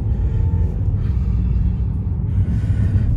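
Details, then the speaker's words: BMW driven on the road after the broken engine mount was replaced: deep, steady rumble with no thumps or shudder; previously vibrated badly in gear, over potholes and accelerating, now smooth. "Start हो गई है और बिल्कुल भी vibrate नहीं कर रही है बिल्कुल भी बिल्कुल भी वाइब्रेट नहीं कर रही है"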